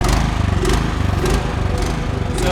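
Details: Troy-Bilt snowblower that sat without Stabil in fuel: engine at low idle rises and falls in quick pulses instead of holding steady; idle surge from varnish-clogged low-idle jet in carburettor.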